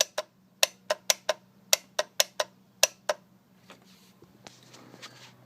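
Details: Ford E350 25-passenger bus with 7.3L diesel that won't start: sharp dry clicks about one per second with no cranking, even after the starter was replaced and the cables checked. No-start clicking.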